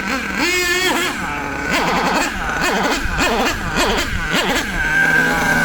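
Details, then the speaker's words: HPI Savage nitro RC truck engine, high-speed needle leaned: screaming revs rise and sag unevenly, running too lean. The fix is turning the needle anticlockwise about a quarter turn back. "Anyway, we're going to start going too lean now, and you'll hear what it sounds like. Not good. Notice that sound. It goes too lean, not enough fuel."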